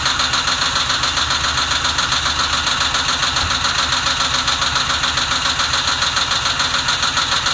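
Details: 2006 Ford Mustang GT V8, warm idle after warm-up: uneven, lumpy pulse about three times a second over exhaust hiss; rough idle, cause not identified.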